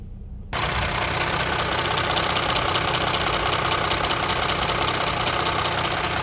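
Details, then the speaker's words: Jeep Grand Cherokee 3.0 CRD (Mercedes diesel) just after fuel filter replacement, system primed with ten ignition cycles: starts and settles into steady, even diesel idle with no misses, surges or knocks; normal idle. "Now 10. And it runs without any issues."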